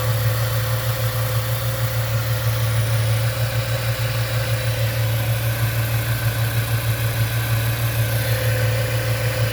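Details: 1998 Ford Mustang after ten years sitting, idling to reach normal temperature after shifting into reverse and drive: low even hum, steady beat, no ticks, knocks or stumbles; normal idle.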